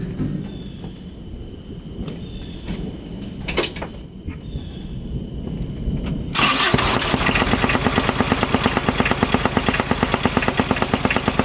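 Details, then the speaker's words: 2007 Kubota RTV900 diesel UTV: engine starts and settles into a hard, steady knock about three per second over idle, appearing suddenly while riding; owner fears rod knock, fan not hitting but feels wobbly; cause unclear. "Alright, so I was riding and all of a sudden I was hearing this sound. Check it out, it does not sound good. I really hope it's not rod knock."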